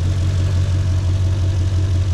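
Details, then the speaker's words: Mercedes C55 AMG with a low, lumpy, uneven engine note, as if down a cylinder, after losing power in fourth gear; limped home not running right or at full power. Owner unsure, suspects a dead cylinder or the gearbox, since fourth feels weird. "it got me back home but it was definitely not running right and definitely not on full power"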